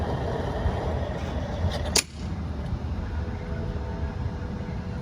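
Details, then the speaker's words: 2004 Cadillac Escalade (GMT800) 31-gallon tank, at the gas station after replacing the broken fuel tank rollover valve that made fuel gush from the filler neck: steady rush of fuel then a sharp nozzle click; normal fill, no overfilling. "No overfilling gas tank anymore."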